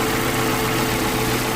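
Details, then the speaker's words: 2012 Suzuki Mega Carry (APV) pickup, engine bay open: even, steady, very smooth idle hum with no knocking or ticking; engine running healthy. "Ini aki, ya teman-teman bisa dengar ya, suaranya masih halus banget ya, nggak ada suara yang kasar, protok-protok, tek-tek ya."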